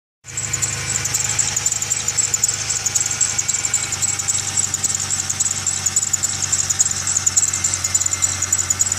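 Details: Idling engine, belt system shown: thin, steady high-pitched squeal riding constantly over an even idle; belt squeal from a slipping accessory belt or dry pulley.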